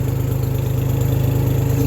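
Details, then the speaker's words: 1974 Ford 3000 gasoline three-cylinder tractor revived after being water-locked, new cylinders and muffler: quick even pulses at steady low idle about seventeen a second, no misses or knocks; sounds healthy and settled. "it's pretty crazy to think this thing runs like this knowing it was completely locked up like it was"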